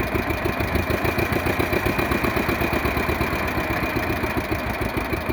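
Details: 1948 John Deere B two-cylinder converted to propane with a 12 V GM distributor, in neutral after priming and starting: uneven-spaced putt at slow idle, firing cleanly, no misses; normal idle.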